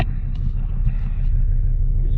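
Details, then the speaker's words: Cold start at −3°C on a 2005 Volvo XC90 2.4 D5 diesel after new glow plugs: fires on the first crank into a low, even diesel rumble with steady throb, no stumbling or misfire; normal cold idle. "Does it go on the first crank? There you go, it goes on the first start. There we go. Here we go, it fires up. It's cold tonight."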